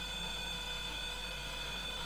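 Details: Steady electronic tones and beeping from a stationary 160 kV brushless motor on 12S7P battery under VESC firmware 6.00 beta 40 HFI position control; injection vector flips sign as current crosses zero.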